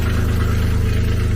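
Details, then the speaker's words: Infiniti G37 after new intakes, new MAF sensors and new tear-free intake tubes, with earlier MAF codes: shaky, low, uneven, lumpy idle with faint hiss, still misfiring; previously misfired with pinging or knocking under load in drive or reverse. Cause unconfirmed. "It's shaking. I think it's still misfiring."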